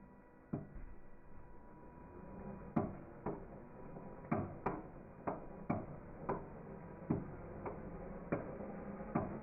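Engine turned over slowly gives single dull clunks, about one every half to one second, with quiet between; looseness at the rod is suspected.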